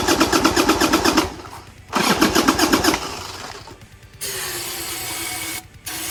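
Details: 1990 Harley-Davidson Sportster 1200, stored 10 years, old gas drained, new plugs, different battery: cranking chugs about three a second, catches, runs briefly, then cuts out; owner suspects lack of fuel, petcocks being checked.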